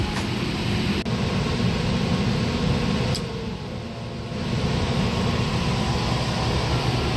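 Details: Liebert steam humidifier water fill valve, set back to normal operation: steady hiss of water through the valve over a low fan drone, with no chattering; earlier chattering is thought to be a relay passing too little voltage.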